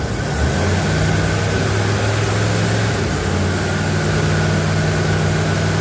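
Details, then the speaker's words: 1977 Ford F250 4x4 barn find V8, first run after a new fuel pump, old used 2100 carburetor with working choke: deep steady rumble, no knocks or misses; normal idle. "run okay well that carb isn't the best it's an old used 2100 carb um the chok's working okay [Music] it sounds pretty good I'm happy with that"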